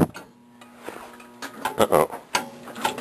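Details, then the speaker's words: Lowboy oil furnace in a crawl space, just fitted with a new burner motor and a reassembled oil-swollen coupler: low motor hum cuts out early, then uneven clunks and scraping; motor binding, squirrel cage too tight against the motor. "that doesn't sound good H pump was turning nice what the hell did I screw up all right I'll figure it out what's causing the motor to bind up"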